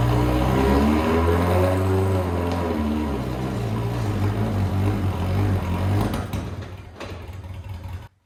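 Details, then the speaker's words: Lotus 7 Birkin S3 with the clutch stuck to the flywheel, started with the clutch down in second gear: engine catches and runs unevenly with a low throbbing beat, then settles as the clutch plate breaks free, avoiding engine removal. "that was it that was the moment the clutch broke free we don't have to get the engine out"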